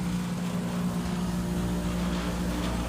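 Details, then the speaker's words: Carrier gas pack with a bad inducer fan, at startup: loud steady low hum with a rough shaking rattle that rattles the whole unit; the inducer wheel is out of balance. "We have a carrier gas pack here with a bad inducer fan. We're going to try to uh quieten it down."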